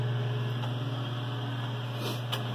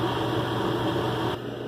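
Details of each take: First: Mr Heater Big Maxx natural gas heater: thermostat calls for heat, fan runs non-stop with steady hum but the burner never lights, and the LED shows three slow green blinks; pressure sensor/switch fault, no ignition. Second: Mr Heater Big Maxx heater after pressure switch fix: thermostat calls for heat, steady even burner and fan rush with no sputter, then quieter hum, and the LED shows a standard fast blink; normal operation.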